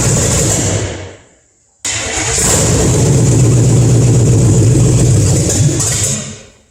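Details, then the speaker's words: Carbureted Chevy 350 stored under a tarp 20 years, converted from TBI, rebuilt carb, timing 12 degrees, exhaust manifolds only: cranks, catches, settles into a loud lumpy open-manifold V8 idle with blips; starts and runs fine, no leaks. "the exhaust we only have exhaust manifolds on it so it will be very loud"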